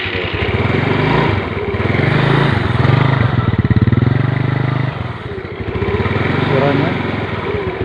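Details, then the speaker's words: Small single-cylinder motorcycle restarted on a dead spark plug with its ceramic removed as an emergency trick: putters unevenly but fires and holds idle on its own. "Nah, ini buktinya Mas Broya bisa hidup."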